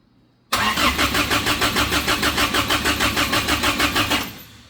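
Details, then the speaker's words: Samurai rock crawler being plumbed for propane: starter cranks evenly about three pulses a second for nearly four seconds, never fires; a plug left out while fitting propane fittings caused no vacuum. "all my night of stupidity is continuing so I'm I've been in a hurry tonight trying to get this thing to fire up and in that I'm missing a lot of stuff there's a plug that goes right here that I did not put in when I w"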